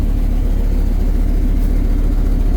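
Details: Dodge V10 dually, first start after throttle body cleaning and air filter replacement: deep idle rumble, rough with a cylinder misfiring, gradually smoothing toward a steadier beat.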